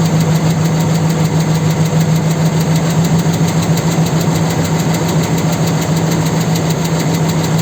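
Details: 4.7 engine at idle: rough, uneven knocking about three times a second from inside the engine; engine knock, cause not confirmed.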